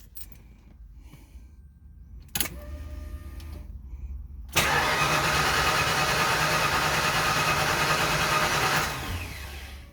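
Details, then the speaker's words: Mustang engine first start attempt, intake reinstalled: fast even cranking about three beats per second for four seconds, never catches; cranks but no start, cause still to be troubleshot. "unfortunately that's a fail for us right now guys but it's okay I'm gonna go troubleshoot this I'll be back"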